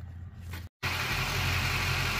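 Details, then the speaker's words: Duramax LLY diesel (Chevy Silverado/GMC) after turbo VGT solenoid and position sensor repair for P0045/P0046: even steady idle, deep rumble, no knocks, whistles or surging. "okay not that I want to jinx myself but seemed to be running fine"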